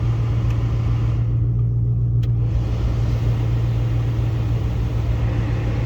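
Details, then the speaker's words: 2005-2009 Mustang after replacing both blend door actuators: steady low blower rumble with no clicking from behind the dash; normal HVAC blend door operation. "No more clicking, that's nice. Everything works the way it should."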